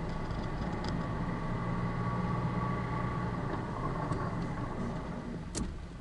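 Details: Honda CR-V (RD5/RD7/RD8, 2002–2004) automatic held on the brake in drive while throttle is applied, left side raised: only a steady, even engine and road hum, no rising whine. Gearbox is healthy; the noise was traced to the driveshaft centre support bearing.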